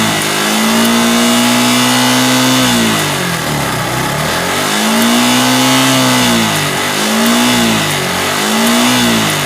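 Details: Yamaha R15 V3 BS6 motorcycle engine revving cleanly, rising and falling smoothly with no ticking or tapping underneath; quiet valvetrain, normal revving.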